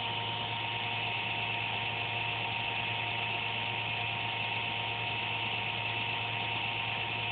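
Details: Computer under a desk makes an intermittent buzz randomly, once or twice a day, with speed and performance unaffected; steady electrical buzz, low hum under a thin whine; owner suspects a fan, unsure.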